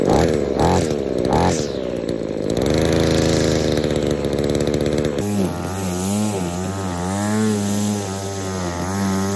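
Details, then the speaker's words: Trash-picked chainsaw after full service and carb overhaul, with a faulty metering diaphragm fixed and a homemade foam air filter: a few pulls, then it catches and runs a steady, clean high-pitched note, no misfire or surging; normal running. "there we go job done everything's been gone over everything's been checked"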